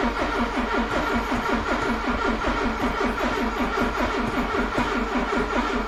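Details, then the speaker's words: Cheap classic Porsche with a weak battery and dodgy key barrel, cranked with slight throttle: the starter spins the engine freely at a bit over one turn a second but it never fires. Owner suspects the fuel pump isn't priming; crank, no start. "I don't think the fuel pump's priming. If you listen, you don't hear no prime of the fuel pump, but there we go, it cranked."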